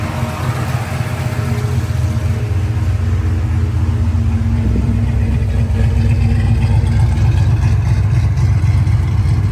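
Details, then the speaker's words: 1986 Ford Mustang Foxbody after head and intake work, throttle body slightly sticky: steady, even low rumble with a smooth beat and no knocks or misses; the engine idles cleanly. "Runs really good. Idles."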